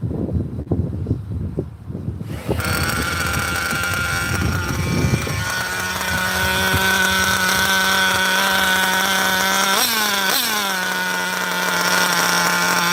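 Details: 27-year-old vintage nitro RC car running after earlier bogging (a new plug was suggested, failsafe not set): high buzz settles to a steady tone, then a clean rev blip with no sag.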